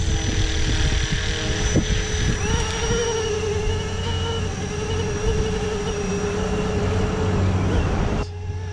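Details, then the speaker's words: FLISHRC Roban MD-500E 450-size RC helicopter, four-blade rotor, on maiden spool-up and hover; steady electric whine with a low pulsing wobble, suspected from the flexible vertical and horizontal tail stabilizers vibrating. "now that wobbling noise that noise I think that is um the vertical and horizontal stabilizer is really flimsy or no not flimsy but flexible and it makes that noise"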